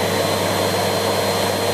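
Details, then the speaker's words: Siemens Z6.0 Power 2500W bagged cylinder vacuum cleaner just switched on at its lowest (minimum) power setting, one blue light, before being turned up. Steady, even motor roar with a constant high whine and no rattles or surging; normal operation. "that's the lowest power setting it's moment that's a minimum so we've got the one single blue light on there when I turn it up to the next setting"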